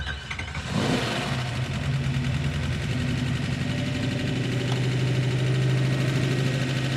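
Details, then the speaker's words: Hemi V8 in a Gremlin, hot, at high idle with no throttle return spring and a massive vacuum leak: after it catches, a quick light ticking from the top end. Lifter noise that began after installation and worsens when hot. "That is radically unacceptable lifter noise."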